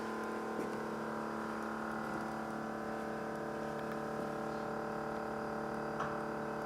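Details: GE Profile PSS26SGRC SS refrigerator: a loud, steady buzzing hum with several fixed tones from the freezer side. The owner suspects the fan; cause unconfirmed.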